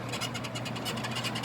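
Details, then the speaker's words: 2011 Mini Countryman, rear suspension worked by hand: repeated dry creaking squeaks, several per second. Worn rear stabilizer bar bushings cause the creaking and cracking noise heard over unpaved roads; the bushings are replaced. "이제 비포장 도로나 그런데서 소리가 많이 났던 거예요 이게 심하죠"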